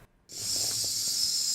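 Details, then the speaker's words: 1984 Porsche 944 barn find stored 20+ years, no-start, new fuel pump jumpered to 12 V: sharp steady hiss as the fuel rail nut is cracked open, showing fuel pressure at the rail. "open the nut on the fuel rail and yes I have pressure"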